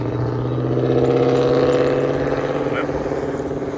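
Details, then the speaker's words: 2005–2014 Ford Mustang driving after a worn wheel bearing was replaced: even road hum with no growl or roar building with speed, smooth; healthy new wheel bearing. "wheel didn't fall off so sucess so all good yeah she's smooth"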